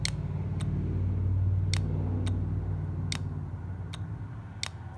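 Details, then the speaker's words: John Deere 310D backhoe forward/reverse/neutral reverser solenoid, on the bench: two electromagnets shuttle the oil valve when energised. Crisp single clicks every half to one second over a faint low hum show it shifting normally. In the machine, reverse sounded more energetic than forward; now both sound the same. "and so if i energize the coils you can see the valve is in fact moving"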